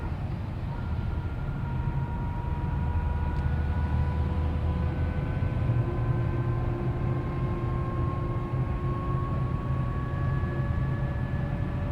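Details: 2012 Cadillac CTS4: thin whine over road rumble whenever the accelerator is touched, from 30 mph up, louder and higher-pitched with speed, in all gears and neutral, also under cruise-control acceleration, stopping when throttle is released; cause unknown.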